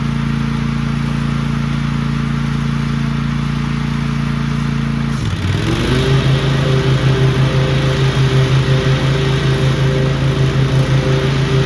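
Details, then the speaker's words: Cub Cadet ZTS2 zero-turn mower, nearly new, warmed up after a coil issue was fixed (it used to drop a cylinder after about 5 minutes): steady idle, brief dip, then firm even rev that holds without missing; runs normally. "Well, the old Scrub Cadet did pretty good right here. It mowed good."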